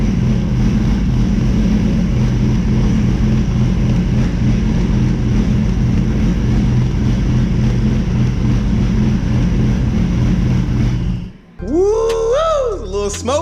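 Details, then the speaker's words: Toyota Supra MK4 700HP build with BC 272 camshafts, ProEFI standalone ECU, fuel pump wired directly to battery: loud choppy loping idle for about eleven seconds before it cuts; normal hot-cam lope. "up in here you heard them cams you heard the cams"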